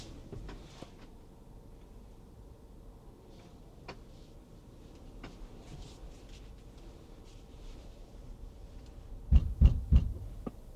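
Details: Tesla Model Y Performance, mic inside cabin: brief run of deep, dull rhythmic thumps from the rear only when creeping forward at very low speed, then stops; none while driving or in reverse, not every time.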